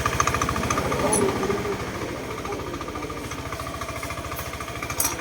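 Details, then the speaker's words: Honda Scoopy i idling after repair; the clack came from a loose air-shroud cover with worn mounting bushings, mounts ground down to sit below the plastic. Now an even idle putter, clacking and cover rattle mostly gone. "เราก็มาสตาร์ทดูว่ามันจะเงียบมเอ้อก็เสียงเบาลงมากนะครับ"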